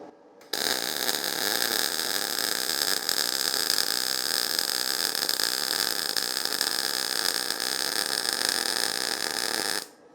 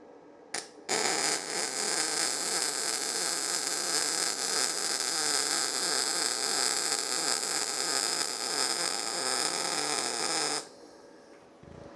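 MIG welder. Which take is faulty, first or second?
first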